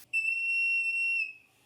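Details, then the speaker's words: Porsche 911 Carrera 3.2L on test stand during leak-down test: clean, steady high whistle about a second then fading; air escaping at the tester hose-to-head interface, not a head-cylinder leak, readings 80 and 80. "So you hear that? That sound is from the hose. Actually, it seems to have gotten a little bit better."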